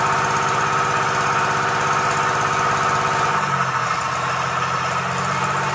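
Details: Komatsu PC-20 excavator, 3D84 diesel, with low power, black smoke and hard starting. Rough, uneven clatter at idle with irregular knocking and a sagging beat midway; faulty injector nozzles.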